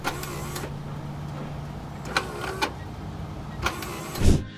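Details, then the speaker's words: 2007 Toyota Tacoma 4WD actuator, truck sitting still, engine off, 4WD switch engaged with indicator flashing: sharp single clicks a second apart, no motor run; actuator motor not turning, 4WD not engaging. "I was trying to hear if anything was trying to turn or engage underneath the truck and all I could hear was a clicking sound so that's what this video is going to demonstrate"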